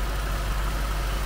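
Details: 2003 Jaguar S-Type R supercharged V8 just after fitting two oil catch cans, no leaks found: steady, deep, even idle with no knocks, ticks or misses. Normal idle.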